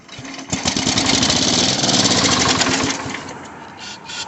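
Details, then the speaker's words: Sears Suburban 12 hp Craftsman tractor fed carb cleaner after freeing the throttle, new battery fitted: rapid cranking chuffs catch into a brief ragged firing burst that dies; fires only on spray, carburetor suspected. "See if it'll fire. Well, it's trying. Give it a little more throttle."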